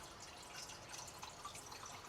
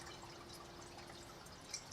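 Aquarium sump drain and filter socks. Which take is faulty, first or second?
first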